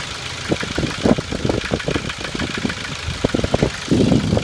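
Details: 2006 Ford Focus 1.6 100 hp automatic at rough idle: uneven sharp knocks at camshaft frequency (about 400/min), gone above 1500 rpm; owner suspects camshaft knocking in its bed, or piston pin oil starvation or piston slap; unconfirmed, unchanged after 90,000 km.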